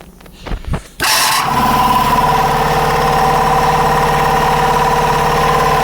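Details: DIY 5 hp air compressor with water chiller/dryer, just built, 240 V unit on a 110 plug, running until the pressure switch kicks in: steady, even pumping drone, no knocks or skips; normal running, slight fitting leak hiss noted afterward.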